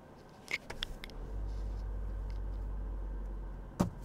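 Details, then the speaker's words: Second-generation Toyota Prius after HV battery work and a 12V-to-inverter fuse wiring fault: a click, then a soft, steady low hum settling evenly with no knocks or roughness; the hybrid runs normally. "it runs great so that's what I had to share with you guys"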